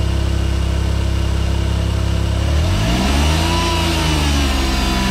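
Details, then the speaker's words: AZ-1/Cara, F6A DOHC, just after AC and alternator belt replacement, AC compressor on, no belt squeal, hiss gone. Steady idle, then a brief rev brings a whirring that rises and falls with revs. Compressor noise suspected, unconfirmed. "so the ac compressor is on it seems to be running and i'm going to rev it up a little bit because that nasty noise is from the"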